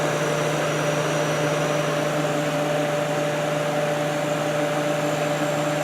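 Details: Kenmore dehumidifier after cleaning, compressor just reconnected: smooth, constant low compressor hum with an even fan whoosh and a steady higher tone, no rattles; running normally.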